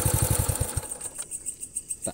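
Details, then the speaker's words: Honda Astrea Grand single, hot on a test ride following compression-leak repair: quick, even low thumps, then it settles quietly with no misses or the earlier hot roughness. Carb needle being adjusted. Normal hot idle. "coba dulu cek ini suaranya masih stabil kalau panas ndak kasar seperti sebelumnya"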